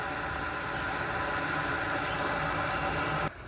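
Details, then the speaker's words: 12K Frigidaire window air conditioner in a garage: steady droning run with constant rough whirring hum over the airflow and water sloshing; runs well otherwise, worn fan motor bearing noise. "It does run really good though, just besides the bearing noise, and it does slosh water."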